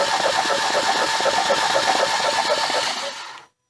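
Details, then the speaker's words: 2012 Ford Fusion that sat long, cranking with spark plugs out: even starter cranking near four beats a second with a wet hiss and no firing as water and fuel spray out of the cylinders. "go ahead and crank it and that's water and fuel spraying out of it crank it one more time let's show the people"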